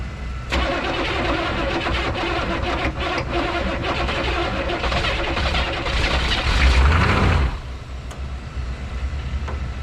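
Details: 1986 Chevy 1-ton dually Silverado squarebody, swapped 6.2 L Detroit diesel, abandoned 22 years: long uneven cranking chug about three beats a second, swelling but not catching with a non-starting-fluid aid.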